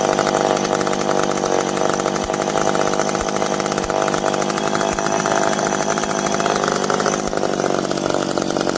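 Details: McCulloch PM700 chainsaw, freshly ported, first run: high buzzing engine holds a steady, crisp pitch while cutting, no bogging or misfire; runs healthy under load, break-in next.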